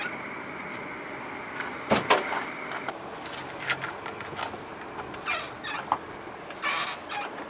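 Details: Lancer X (Mitsubishi Lancer 10): thin, steady high-pitched brake squeal over some creaks and clunks, mainly when hot after a drive, none when cold; braking is fine and the steering doesn't pull; cause not pinned down.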